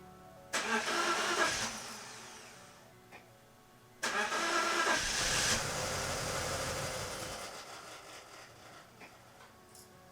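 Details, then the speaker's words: BMW E46 M54 after new ignition coils for cylinder 5 and 6 misfires: two cranking tries, then it starts, blips and settles to a near-normal idle under a loud radiator fan roar that needs replacing; codes cleared except cylinder five. "hey God working and that noise you hear right now is the fan I needed to change that but it did clear up all the codes except for cylinder five"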